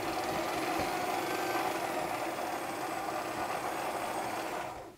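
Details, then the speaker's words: Bernina Record 830 sewing machine after its noisy bobbin winder was replaced with a new one: smooth, even whir at constant pitch with no rasp or clatter. The bobbin winds quietly and sounds healthy. "And if we put the lid back down and engage the bobbin winder, which it is already, just there. There we go. A lot nicer."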